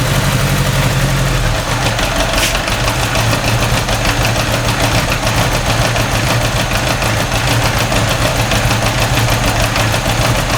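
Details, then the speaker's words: First cold start of an engine with a newly fitted single carburetor, no choke, hand throttle, 65°F garage, external alternator load, mild intake-runner vacuum leaks. Warm-up idle near 1200 rpm is lumpy with ticking and electric fuel pump clicking; dark plugs show it runs rich. "rear cylinder right there is dark burning rich over the right side and they're both dark so it's running rich"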